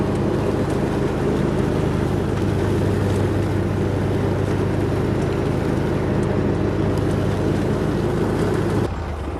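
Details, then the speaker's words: Hustler Raptor SD zero-turn mower, which kept throwing its deck and hydro belts, running after a deck and spindle rebuild: an even, steady engine run at constant speed with some wind, then it drops off. No knocking or grinding; it runs fine. "Well, seems to be running pretty dang good."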